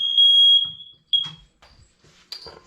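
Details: January smoke and carbon monoxide alarm system test at the downstairs hallway alarm: a loud, steady high-pitched tone, then a cutoff and a brief chirp. The smoke alarm responds normally to the test.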